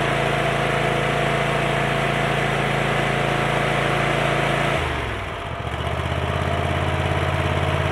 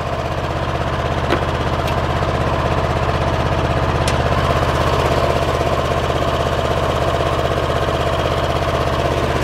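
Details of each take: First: Kohler 7000 series 24 hp V-twin after repairing a dead cylinder (mouse damage, ignition coil checked, plug wires tucked, air filter cleaned), at full throttle: strong even drone with no misses, then clean slowdown; normal running at full throttle. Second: Kohler 7000 series 24 hp twin running on one cylinder: lumpy uneven idle with a regular knock near three per second and occasional pops; one cylinder dead, bogs in tall grass, ignition coil damaged by mice.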